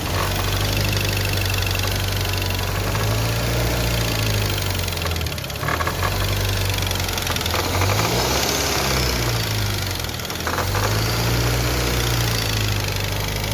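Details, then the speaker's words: Car idling: rough uneven knocking rattle over steady idle not following revs; mechanic suspects worn air-conditioning compressor. "me había bajado el ruido de que se presentaba hace rato pero pero el problema creo que es el motor del aire acondicionado el compresor"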